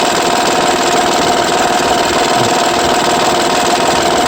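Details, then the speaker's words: 2009 Honda Pilot 3.5 V6 running: fast, uneven metallic rattle; the timing-belt tensioner is suspected but not confirmed. "2009 honda pilot 3.5 el motor detectó a problemas de que hace un ruido parece que en el tensor de la de la banda"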